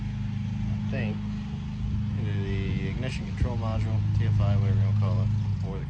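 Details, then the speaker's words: Ford Ranger six-cylinder with spark at all six cylinders but two cylinders getting no fuel: uneven, loping idle stumbling three or four times a second, a dead miss; misfire from failed fuel injectors, fixed by replacing them. "good afternoon hot Riders and rits today we're going to be working on the old Ford Ranger got a couple bad fuel injectors we going to work on it's got a really bad mess let's get into it"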